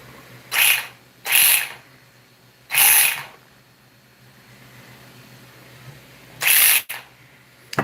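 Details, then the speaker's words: RC vehicle gives four sharp, harsh high-pitched whirring bursts on throttle blips; the owner dislikes the sound and may redo the paper gear-mesh spacing and retighten the gears. "might do the little paper thing though and retighten it, y'all, because I don't like the way that sounds."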